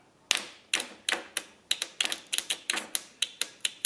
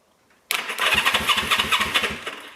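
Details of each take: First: Honda CB360 motorcycle: sharp dry solenoid clicks about four a second with no cranking after fixing a poor solenoid ground; solenoid works but the starter motor is weak. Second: 1974 Honda CB360 motorcycle, first crank with coil and condenser borrowed from a CB350: starter spins the engine briskly with a quick, even churning rhythm and no dragging, debris blowing out the exhaust; starter sounds healthy.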